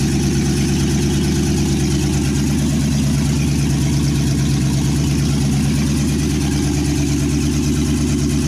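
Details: 1963 Chevy C10 with 355ci small-block V8 (350 bored .030 over), Turbo 350, reportedly low miles, second start after years sitting: loud, steady burble through open headers, even firing, no misses or knocks; temp gauge not working, normal idle.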